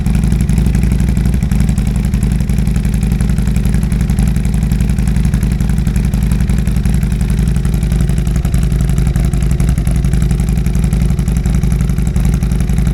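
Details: 2022 Harley-Davidson Road Glide, first start after Cyclerama CR483 cam install: loud, lumpy, even V-twin idle with a deep uneven pulse, steady with no knocks; running healthy.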